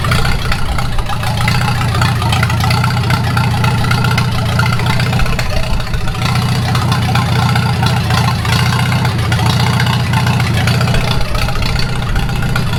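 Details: 1942 Farmall H tractor, hand-crank started after transmission teardown and repair of a scraping/screeching noise and hard reverse shifting, carburetor not yet adjusted: steady, even low rumble with smooth firing beat, no knocks or misses; normal idle.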